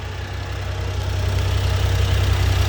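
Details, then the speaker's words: 1995 Honda Acty SDX 4x4, 660cc three-cylinder, 5-speed, 106,000 km, fresh timing, water pump, valve adjustment and plugs, idling with AC on: smooth, even idle, steady low hum, no misses, knocks or smoke; healthy. "no smoke okay and that's with the ac on so let me demonstrate maybe you can hear the rpms i don't know if the microphone is going to catch that dropping down"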